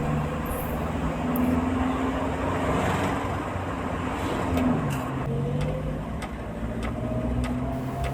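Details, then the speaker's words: Car after suspension and steering repair and wheel alignment, heard while driving straight and turning: smooth, even road rumble with no clunks or rattles over bumps. The earlier knocking and crackling noises are gone. "Dan setelah dites sudah jadi semua bunyinya halus tidak ada lagi bunyi gempletek gempluduk melotak seperti barat di awal baik posisi trek lurus maupun barat berbelok bunyinya sudah halus sudah tidak ada bunyi yang mengkhawatirkan"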